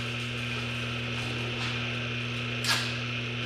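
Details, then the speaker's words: Repaired AC electric motor after a broken rotating starter switch was replaced with a salvaged part, run at low speed while cleaning rust off the shaft; quiet, steady low hum with no knocks or rubbing; normal running. "There we are. Low speed, man. That little guy sounds good."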